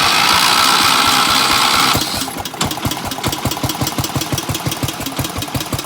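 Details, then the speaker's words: Gravely 816S with 16HP Briggs & Stratton single-cylinder engine and aftermarket Chinese carburettor, first start after a month unused on a temporary ignition hookup: loud crank, then a steady, even putt-putt idle near three beats a second. "it's an idol on the cards so sounds good"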